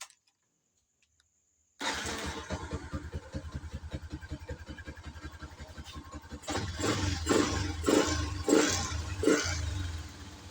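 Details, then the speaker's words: Yamaha New Jupiter MX after fitting a Suzuki Shogun Kebo CDI: starts at once, brisk higher idle, several quick clean throttle blips; more responsive and light, running well. "Responsifnya lebih baik dan terasa sangat ringan saat digas. Putaran mesin saat idle juga lebih tinggi, yang menunjukkan bahwa"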